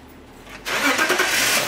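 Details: 2003 BMW E39 530i with MS43 DME and intermittent crank-no-start; quiet then engine catches cleanly about two-thirds of a second in and settles into an even run, a normal start.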